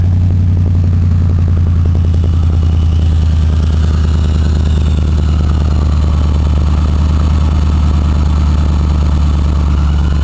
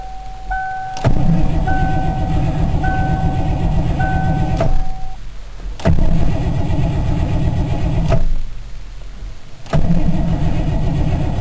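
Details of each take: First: Cold petrol engine just started after a hard cold start with warm batteries, fresh gas and ether, idling smoky with a deep even rumble; the front ticking noise is gone for now, possibly only temporarily. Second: Engine on a cold day with a fully charged warm battery and about half a gallon of fresh gas: three long cranking bursts, the starter turning steadily for several seconds each, with no fire. It later started with ether.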